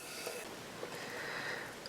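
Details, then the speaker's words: Mercruiser 5.0 305 V8 carbureted Alpha1 sterndrive, running rough, leakdown test at 90 psi on cylinder 1 reading 89 psi: steady soft air hiss with no pulsing; minor leakage, cylinder healthy. "Yeah, 89 PSI on This is cylinder number one. So, that's pretty good. You can hear there's a little bit of leakage."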